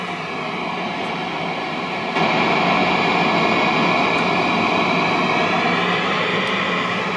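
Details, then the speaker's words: Hughes & Kettner Switchblade 50-watt amp with ISP Decimator G-String pedal, noise gate off: steady hiss jumps noticeably louder when the effects loop is switched on in series, adding background noise; effects loop increases noise. "you can see that it's a little bit louder than it used to be because I have the effects upon"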